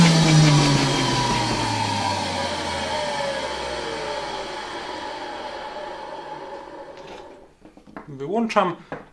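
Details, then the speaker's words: 1960 Alfa II vacuum cleaner, reassembled and run briefly straight from the mains: steady high motor whine winding down smoothly after switch-off, strong suction; runs well despite very worn motor brushes that still need replacing. "A very nice vacuum cleaner, with really good suction power. I could easily vacuum with it here in the workshop."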